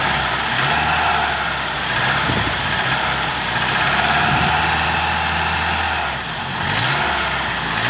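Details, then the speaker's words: Car with a new A/C belt that had been fitted too loose, now corrected: engine blipped with the A/C compressor clutch engaged, revs rise cleanly with no belt slip or squeal. "بص حضرتك، ادي التكييف اشتغل، زود بنزين، والسير مش بيتزحلق ولا بينتج اي صوت حتى لو زودنا بنزين."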